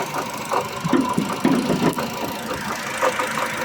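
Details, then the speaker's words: Ravon R4 at idle: uneven light ticking and knocking at the front of the engine over a steady hum. Water pump or tensioner bearing was suspected; the removed pump had play, and the pump, tensioner and belt are being replaced. "Шықылдаған дыбысын таппай жатырмыз. Помпадан или натяжной подшипник деген күдікпенен қазір ашып көреміз."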